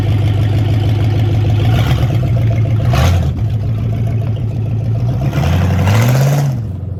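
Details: Project race truck running after the crank sensor was plugged back in: a low, even run with one quick throttle blip that rises and settles cleanly, with no misses or knocks. It may need more transmission fluid.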